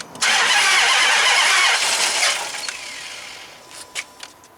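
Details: 2005 Dodge Magnum RT Hemi with two dead cylinders on opposite banks, spark plugs refitted: starter spins engine steadily about two seconds with no catch even with throttle, then winds down; cranks but won't start, fuel pressure in question.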